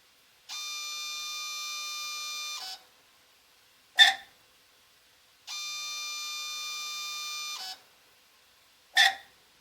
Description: Apollo DIC C5 machine, multisampler valve making screeching sound at when initialized and switching inputs when running "Clean Valve" in software